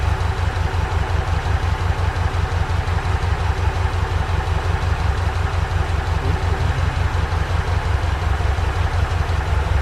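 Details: Ford Capri Calypso after 14 years in storage, newly restored and running on fuel put in the carburetor float chamber: even, steady low-pitched idle with a regular beat and no knocks, misses or hunting; healthy idle.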